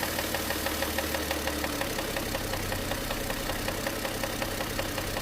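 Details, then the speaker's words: Warm engine idling at 700 rpm after oil pressure restored: a sharp, steady knock about six a second from cylinder five or six. Rod bearing knock; a clogged oil pickup starved the oil pump, which seized and damaged the bearing shells. "Всё, мотор по сути прогретый. И где-то идёт штук либо шестой, либо пятый."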